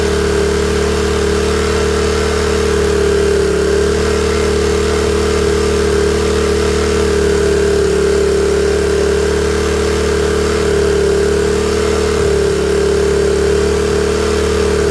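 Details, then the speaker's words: Honda EM400 generator warming up on automatic choke: steady drone with slightly uneven lumpy beat, running a little rich until choke comes off and it clears. "so it'll run on choke it won't run great even a little bit Rich for a little bit and then all of a sudden it'll clear itself up and run good"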